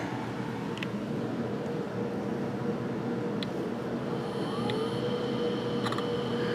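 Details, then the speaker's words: Macintosh PowerBook Duo 230 old 2.5-inch SCSI hard drive spinning up at boot: steady whir, faint constant tone and a few light clicks, normal healthy spin-up. "listen to that old 2 and 1/2 in scuzzy Drive ah yes booting right up"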